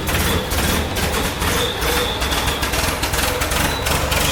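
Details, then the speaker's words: 1965 International Scout, 152 four-cylinder (half a 304 V8), sat eight years, misfire fixed by replacing the old IH coil wire: cold start on choke idles fast and slightly rough with no steady miss left; runs as it should. "we fixed that and so it sounds like it's supposed to now so you all get to hear it"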